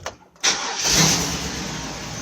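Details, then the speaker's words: 2002 Chevy Avalanche 2500: brief crank catches, then a hissy, uneven run that fades with no steady idle; pump has power but possibly high internal resistance, a weak fuel pump starving the engine; replacement needed. "make sure that your pump is getting good power more than likely it is it's just gonna be a weak pump"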